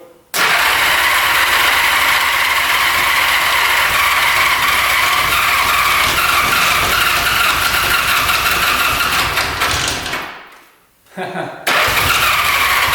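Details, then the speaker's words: 1975 Honda Goldwing GL1000 stored 25+ years, gas poured in plug holes: loud fast cranking, about 200 beats a minute, never firing; no fuel reaching carbs on reserve or on, tank outlet clogged; cranks, won't start. "So it looks like we weren't getting any gas when it's on reserve or on."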